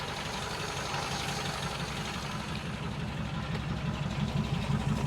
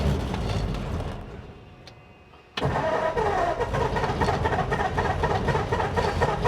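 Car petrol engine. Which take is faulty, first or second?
second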